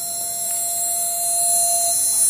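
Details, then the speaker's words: Replica Imhotep relay charger (small battery desulfator) powered by a solar cell: steady high buzz at one pitch with fine hiss, loud when sitting on a hollow wooden door; relay oscillating normally. "notice this doesn't make any noise unless it's got something to vibrate off of. Sitting on this hollow wooden door, you can really hear it humming away, right?"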